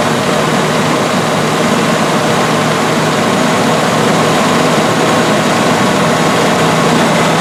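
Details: 1984 Rolls-Royce Corniche after injector replacement, warming up: steady, even running with unbroken hiss, no misses, knocks or stumbles; running issue solved.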